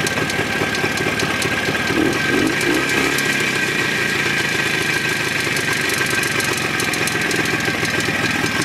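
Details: Jawa 634 two-stroke idling with a light, fast knock over the engine beat; ignition fine, removing the spark plug had no effect, knock disappears when driving; owner suspects the primary chain, unconfirmed.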